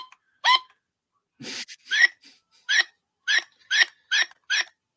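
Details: Old broken sound machine playing: short, chirpy, garbled squeaks in bursts about twice a second, unrecognisable, like a corrupted sound track.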